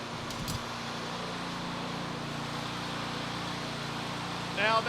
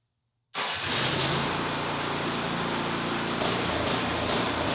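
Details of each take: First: Snowblower with a small single-cylinder engine, after parts were cleaned and reassembled: it holds a steady, even drone with no surging or misses. It is now running normally. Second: Snowblower, reassembled after repair and test started before bolts fully in: catches and settles into a fast run, smooth at first, then the beat goes uneven with surging pulses; rough running, cause unknown.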